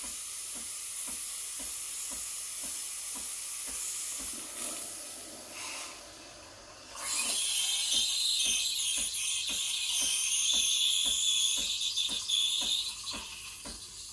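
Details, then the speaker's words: Breville Barista Express BES870 steam wand texturing milk for a latte, tip near the surface injecting air for about 20 seconds: steady hiss with quick paper-tearing ticks about four a second; milk stretching normally. "You want to hear that hissing noise? And that's when I'm bringing the tip close to the surface, injecting air into the milk."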